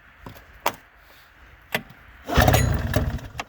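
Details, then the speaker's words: 2000 Arctic Cat ZL440 two-stroke, start attempts, straight pipe with no muffler, tried at half throttle with choke and at full throttle without; scattered clicks, then ragged cranking sputters that never catch; engine flooded. "It's flooded."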